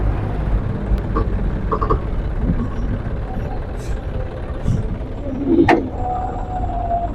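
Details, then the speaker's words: John Deere Green System rotavator on tractor after oil seal replacement and refill with 140 gear oil: steady drone as it turns, no grinding, whine or knocking from the gearbox and no oil leak; normal running. "देख सकते हो बिल्कुल सही तरीके से ये rotavator घूम रहा है, ना ही किधर से ऑयल लीकेज हो रहा है और ना ही कोई रोटावेटर गियरबॉक्स से आवाज़ आ रही है।"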